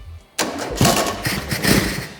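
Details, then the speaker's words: Used VW T25 1600cc twin-port CT-code engine, unknown history, first start attempt on simple wiring: cranks, sharp pop and ragged catches then dies, blowback out the carburettor; owner suspects timing 180° out. "oh we had a bit of blowback come out the carb then so something fired maybe it's 180° out"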